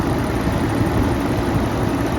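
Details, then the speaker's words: 1992 Mitsubishi 3000GT VR4 overheating at low rpm, warm at idle: steady rush of air over low idle as the radiator fan finally kicks in late, only after revving; owner believes poor coolant flow isn't triggering sensors. "hear the sound of the radiator P kicked in but it didn't kick in until I give some uh so I believe it's got something to do with the flow of coolant and it's not flowing properly to trigger all the sensors and kicking the radiator fan soon enough"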